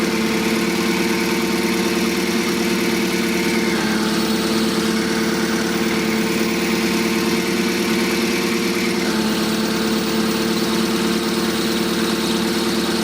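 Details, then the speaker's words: Forklift at steady idle with a constant mid-pitched whirring whine over the engine; clutch release bearing still dragging, noise stops when pedal is pressed, non-adjustable pedal free travel barely touching, return springs holding it back. "when we put pressure on it the noise shuts up so so we've got to get a blend between having between having enough pedal movement here"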